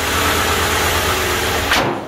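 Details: Carbureted engine that sat outside for almost 20 years, with vacuum leaks and some smoke, idling after adjustment with a new idle spring. It holds a steady low rumble with hiss on top and does not stall.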